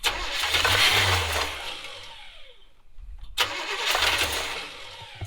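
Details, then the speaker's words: 1970s Coachman Leprechaun motorhome that ran out of gas; two bursts of rapid starter cranking with a pause, turning over but never firing. Cranks with no start because the dry fuel pump is not yet primed. "Yeah, I think we're getting close. Let me go check the fuel pump, see if we're getting fuel up to it."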